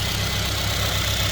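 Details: 2016 Mercedes-Benz CLA250 with RaceChip GTS Black just installed (set to 5 of 7) idling: smooth, even low hum, no knocks or ticks; engine running healthy.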